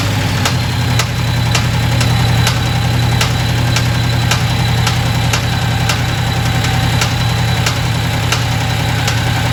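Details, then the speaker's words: Supercharged 2010 Dodge Challenger Hemi with the coil of the second-from-back cylinder plugged back in: sharp pops about twice a second over a rough idle, seemingly backfiring into the intake. Valvetrain rattle from a loose rocker shaft; a displaced pushrod and a broken cylinder head casting were also found. "but it is definitely got a crazy weird popping sound. It sounds like going into the intake so I'm thinking that we have a valve issue here."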